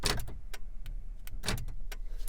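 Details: Toyota Tundra (2010–2020+) with newly programmed remote fob; quiet background, then crisp clusters of thunks as door locks cycle, each actuator snapping firmly and responding to the remote; normal power door lock operation.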